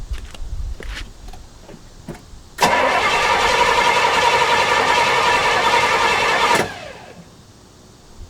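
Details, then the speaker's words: 1968 Pontiac LeMans sitting 23 years, newly fitted HEI distributor after a stuck distributor, had backfired and been primed with fuel: steady cranking about four seconds that never fires; cranks but won't start, suspected too much fuel or needing more gas. "well hmm it's like it needs more gas yeah it might it might have too much gas too in there so we fixed the like spark problem"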